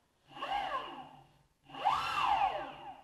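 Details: Boosted Board electric skateboard after retightening stretched drive belts via motor mount bolts: two smooth spin-ups, whine rising and falling with motor speed, no rattle; belts properly tensioned, normal belt drive.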